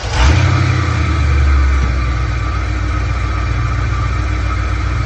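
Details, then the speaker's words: Old Ford OBS F150 truck after new MSD ignition install, started for timing check: deep steady V8 idle after a brief blip, smooth and even, no misfire or tapping; seems to run a little better, normal idle. "this is running a little, seems to be running a little bit better."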